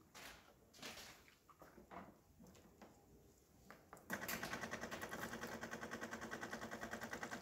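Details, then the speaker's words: DeLonghi La Specialista espresso machine during an internal leak test, hot water test: handling clicks, then steady buzzing pump with fast even pulsing about three per second, nice steady stream; normal hot water dispensing. "you can see, hot water, nice steady stream coming out of the machine, looking great."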